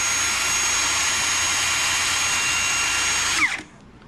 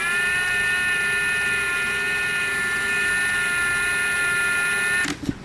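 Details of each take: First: Ridgid R86211 18V Octane impact wrench with an intermittent slow-speed fault, here on a new battery: a steady high-pitched whir holds constant speed for over three seconds, then winds down cleanly; it is running normally at full speed. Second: 2023 Ridgid R86211 18V Octane impact wrench: steady low-pitched motor whine with no hammering, then cutting out; an intermittent fault where it runs only at slow speed whatever the Auto or speed setting and battery.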